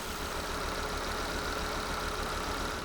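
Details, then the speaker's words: Volvo V70 with newly installed replacement engine and new engine mounts, idling, engine shaking in bay: rough lumpy idle with recurring stumble, definitely misfiring before check engine light appeared; code reader later showed cylinder 4 misfire, from failed ignition coil. "no check engine light definitely misfiring"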